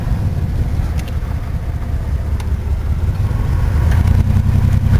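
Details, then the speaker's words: Chevrolet S10 Blazer 4x4 V6, oil changed a couple times, good oil pressure, exhaust needing work: steady deep even rumble, no knocks or ticks; runs well, slight transfer case noise from four-wheel drive. "sounds like a V6 good hopefully she'll uh little noise on transfer case there but that's atypical here from four wheel drive sounds pretty good"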